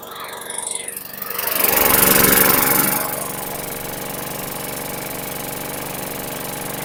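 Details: 2010 Lawn-Boy 10642 20-inch mulching/bagging self-propelled mower, 6.75 engine (Quantum), after maintenance: small single-cylinder engine swells then settles into a steady, even run with clean regular firing; runs healthy.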